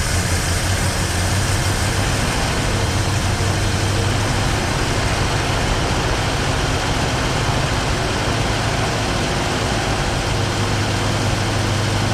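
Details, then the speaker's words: 1968 Mustang 289 V8, first start after sitting 30 years, steady even low rumble at idle under a loud hiss, no misses, knocks or ticks; runs smooth, oil pressure good. "sounds like a swiss watch i hope alex is watching"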